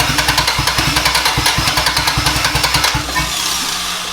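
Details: Turbocharged B18 Honda Civic EG hatch: fast, steady cranking about three and a half beats a second, brief rough catch that dies away while distributor is moved, bad timing suspected; crank no start.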